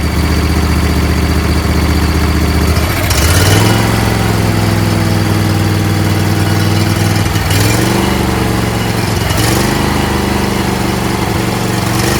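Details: Husqvarna YTH20F42T repowered with a Briggs 21HP V-twin, after loosening the stuck fuel solenoid: settles from a lumpy choke run, then off choke revs cleanly with each throttle blip and holds steady without stalling.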